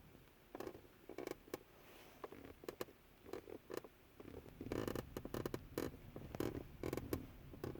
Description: I found the source of a creaking noise in my 2010 Tacoma 2nd Gen Shifter Console.